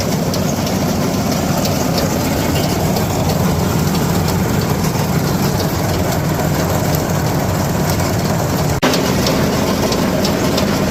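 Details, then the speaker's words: New Holland 479 haybine after greasing: loud steady heavy clatter with dense rapid knocking; owner attributes most noise to missing bearings, though running smoother with grease. "So, I'd say the majority of that noise is, you know, the fact that I'm missing the actual bearings themselves, which sucks, but that's all still fixable."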